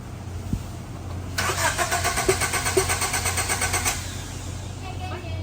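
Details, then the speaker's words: 1990 Honda CRX HF, car sat for years, check engine light on: steady starter cranking about two turns a second for a few seconds, never catches. Owner suspects engine wiring harness. "still don't start yeah it still don't start uh your Signal's on for some reason it is okay so it C be distributor it must be something in this wiring it's been 20 years since I've done one these it could be the engine harness"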